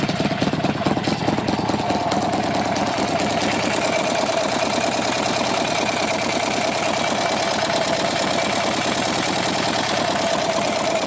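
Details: Buell XB12R V-twin motorcycle at idle: fast steady ticking riding over the engine beat, cause unknown, owner asking for ideas.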